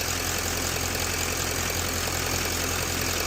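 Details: GM LML diesel pickup after AC compressor clutch plate repair: steady, even idle with AC on full blast and compressor pulling, blowing cold; no hiccups, surges or clutch chatter, so the repaired compressor clutch is healthy.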